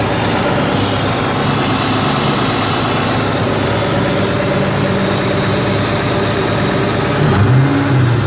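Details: 1999 Mustang Cobra 4V V8, 123k miles, 4.10 gears, exhaust and tune: steady idle with faint, somewhat irregular tick under exhaust rumble, began after first drive; owner doubts typical 4V tick, suspects possible spun bearing, unconfirmed.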